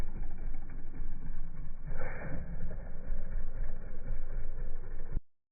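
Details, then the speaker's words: 2024 Kawasaki KLX140RL small single idling after its first oil change: a steady, even low thump with no ticking or knocking over it; it sounds healthy. "Alrighty, she sounds good."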